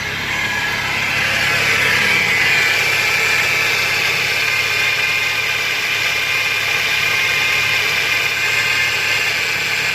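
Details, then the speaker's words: 2012 Scion xB 2.4L, alternator recently replaced: idling engine with a steady, high whirring chirp, worse on throttle, from a worn, seized belt tensioner pulley; fixed by replacing the tensioner assembly. "what's up guys so I got this 2012 Scion xB and it's making a weird noise when I started when you hit the gas"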